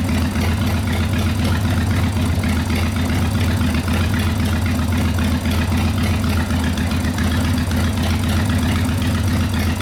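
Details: 1990 Harley FXRP custom, 80ci Evo V-twin with mild cam, ~5500 miles, sat 8+ years, accelerator pump not working, carb flooding: deep even thump about four pulses a second, steady; normal idle.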